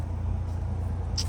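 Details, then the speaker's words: Chrysler 300 just after owner replaced water pump and timing belt, started right up: steady, even low rumble with no knocks, ticks or whine; quiet, smooth healthy idle. "it's quiet this car run so smooth I love it"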